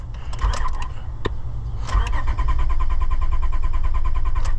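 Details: 2002 Honda Odyssey, no-start after fuel pump replacement, cranked while testing main relay ground: steady even cranking about four turns a second, never catches; no output from main relay, no fuel delivery.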